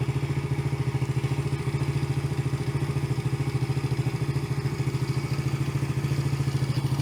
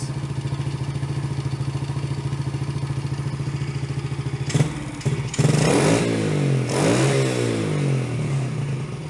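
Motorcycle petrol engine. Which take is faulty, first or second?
second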